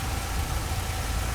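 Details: 1964 AMC Rambler Classic started after an oil, air filter and fuel filter change, with the new fuel filter still dry: low, even idle rumble with a steady beat and no misses or knocks; idling smoothly.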